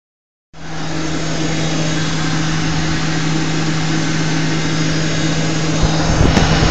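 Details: Ford 4.6 V8 idling with a steady low buzzing hum from a failed Prime Guard oil filter anti-drainback valve; a replacement filter gave the same noise, and the owner then suspected the torque converter or transmission front pump.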